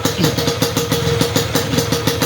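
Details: Yamaha RX King, standard non-ported block, fitted with a lathe-machined RXS head; an unmodified head would knock from too-high compression. Crisp, even two-stroke idle with no metallic pinging: normal, no detonation.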